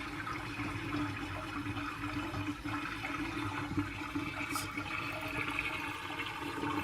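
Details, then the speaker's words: Kitchen sink with vent removed drains with rushing, bubbling gurgles as the unvented P-trap siphons dry, letting sewer gases into the house. "anytime you hear that gurgling noise, you basically have sewer gases coming into your house after it's drained because there is no water in the P trap."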